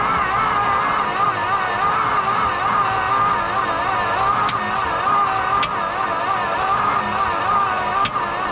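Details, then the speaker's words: 1969 Dodge D-200 Camper Special crew cab, just started after a hard crank, thought to need a starter, fuel filter and carburetor: rough steady run with three sharp, isolated cracks; popping suspected inside the motor, cause unknown. "What is that? What is that? I don't know. Cracking and popping. What was? Something in there. Inside the motor? Sounded like it."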